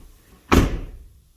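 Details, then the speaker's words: 2014 Ford F250 Platinum door: a single hard, dull slam with a metallic clunk; the stock striker lacks a rubber grommet, and swapping in an 09–14 F-150 striker (9L3Z1522008A) makes the door shut more solidly. "it's just hard it's clunky you know it it just doesn't seal that great"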